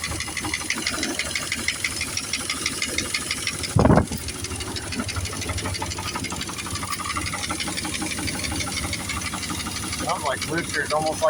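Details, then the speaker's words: 2000 Dodge Dakota Sport 4.7 V8, cold start after sitting a long time, now hard to start: fast, steady metallic knock at idle, heard from both sides, worse when put in gear, eases a little under load. "okay guys this is my 2000 Dodge Dakota Sport with the 4.7 started knocking really bad now it has problems starting it's been sitting for quite a while now so I'm going to go ahead and cold start it and get a video of the sound and hopefully we can figure out what's wrong with it"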